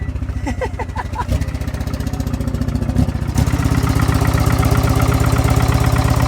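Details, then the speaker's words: T-boned car at auction: engine catches, runs with an uneven stumbling lumpy rhythm, then dies; sounds like a misfire, no exhaust smoke, cause unconfirmed. "Well, it definitely runs, but then it dies out, and it sounds like it's misfiring, but I didn't see any smoke coming out of the exhaust."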